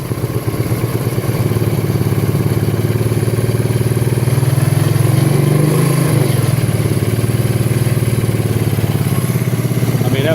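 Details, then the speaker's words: 1984 Kawasaki Prairie KLT250 barn find, unrun for years, started with a jump pack. Regular single-cylinder thump at a steady idle, rising slightly then settling, with no valve tick; the motor sounds healthy. "well I tell you what that motor sounds good why Wow unbelievable"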